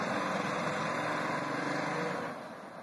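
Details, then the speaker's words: Cold 1998 Ford Ranger 4.0 V6 automatic with two dead cylinders and a third failing: a rough, uneven chuffing beat like a train building steam from a multi-cylinder misfire, not yet warmed up. "Sounds like a train building up steam."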